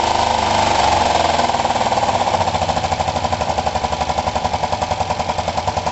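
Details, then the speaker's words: Kawasaki ER-5 twin after valve clearance setting and fitting second-hand coils: uneven lumpy idle with stumbling pulses, misfiring as if on one cylinder; needs some choke, no better than before; owner suspects the carbs. "So it's running as terribly as it was before. It actually ran possibly a touch better before. It likes a bit of choke at the moment."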